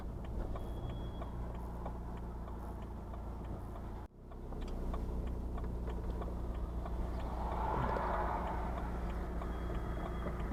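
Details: BMW 1 Series E81 116d 2.0 diesel (N47D20) with the DPF removed: a loose, uneven ticking at 3–4 clicks per second when driving off below about 12°C, fading as it warms. A smoke test found nothing; garages suspect loose metal in the exhaust.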